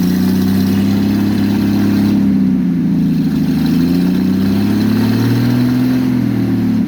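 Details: Engine with a newly installed aftermarket monojet carburetor, exhaust removed, choke thought to need adjusting: loud, raw note that wanders up and down and never settles. Owner plans to check the idle and mixture needle settings. Rough open-exhaust idle.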